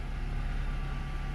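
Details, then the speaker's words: Nissan Rogue after replacing ignition coil and spark plug for misfires: started kind of rough at first, then smooth, steady low hum with no stumble or misfire pulse; idles evenly, no fault codes detected. "so it's at the very first it started up kind of rough but it sounds certainly fine"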